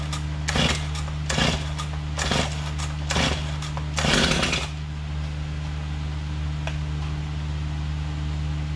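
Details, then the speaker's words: Stihl MS250 chainsaw started after replacing the crank bearings and seals, which had caused a rattle and grind before. Sharp throttle blips settle into a smooth, even two-stroke idle with no rattle or grinding; the bearings sound healthy. "Sounds good. Not hearing a bunch of noise like I was before I replaced the bearings."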